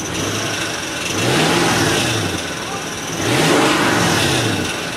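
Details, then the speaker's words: Toyota 4Runner V8 in park: engine revs twice with thin whine rising and falling with speed, present at idle and when revving; owner thinks maybe valves; whining noise, source unknown. "okay so I know you can hear it right now and it even does it when you rev it up"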